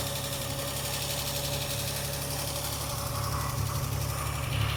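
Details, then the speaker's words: Car engine just after a carburettor rebuild, idling and running better: light tapping from the top of the engine that comes and goes; top-end knock suspected, possibly a tappet or a big end bearing, not confirmed. "Carburettor work has definitely worked, but it sounds like there's some top end knock. So I think there might be some engine work"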